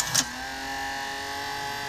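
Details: U-matic VP-9000P after playing a sticky tape: brief click, then thin steady buzz with fixed high tones for a few seconds as it loads and auto-plays, then stops and won't eject; transport fault, cause unclear.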